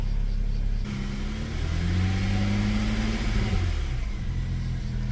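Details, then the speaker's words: 2009 BMW 335i after alternator replacement: smooth idle rises into a clean rev and drops back evenly, no whine, knock or rattle; battery about 15.2 volts, charging. "She's running. Sounds good. I don't hear any funny noises."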